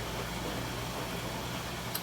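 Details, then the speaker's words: Front-load washer after drum bearing replacement, in the spin cycle: a soft, even whoosh with no rumble or growl. Before the repair it was so loud that little else could be heard; the bearings now sound healthy. "everything else dude it just went through a spin and did I mean it sounds great before it got so loud you couldn't even hardly hear anything"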